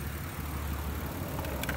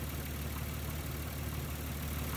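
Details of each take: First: 1994-1999 Nissan Maxima idling low and lumpy with uneven beat from misfire; pulling the bad ignition coil pack changes nothing, pulling a good one makes it run much worse, identifying the failed coil. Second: 1994-1999 Nissan Maxima V6 idling after replacing a bad ignition coil pack that caused a misfire: steady low rumble with an even beat, no stumble or skipped firing. Smooth idle, problem solved.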